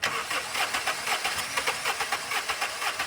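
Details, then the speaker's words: Car previously sunk in a lake, spark plugs not wet, cranking during a spark test: steady cranking at about two compressions per second with one faint catch when it sparked once; no start, weak or missing spark. "It only sparked what appeared to be one time. And when it did that, you could hear the engine kick over a little bit."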